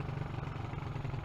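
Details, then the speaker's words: Honda CG125 project bike at idle after fitting a carb gasket and sealing the exhaust: small single thumps at a steady, even beat with no misses or hunting; normal idle, minor idle adjustment still wanted. "little engines ticking over nicely minor adjustment needed i think"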